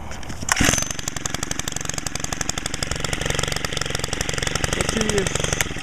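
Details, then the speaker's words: Stihl FS90R gas trimmer after shop carburetor work, muffler screen removed, idle speed lowered: fast, even two-stroke buzz, louder and meaner than before, no misses, starts first pull; normal running. "I also adjusted the idle speed. I turned it a little lower. That sounds a little louder and meaner too at the same time. Cool. But at least I know it starts first pull every time."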